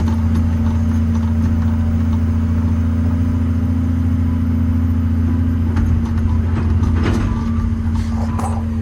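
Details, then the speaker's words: Old 140 digger diesel (10K hours) warmed up to temperature, digging under load; deep steady drone, no misfire or knock, bucket clatter over it, pulling well. Normal running under load. "Anyway, that's it, warmed up to temperature, and she's gone like a sewing machine."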